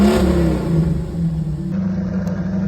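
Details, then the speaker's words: C4 Corvette V8 idling cold with no throttle after the coolant temperature sensor connector was reconnected; steady, even, stronger idle with a deep firm rumble, no misses or knocks, no smoke; normal idle after the fix. "That idle sounds a lot better than the idle that I was dealing with this whole time that I've had the car before."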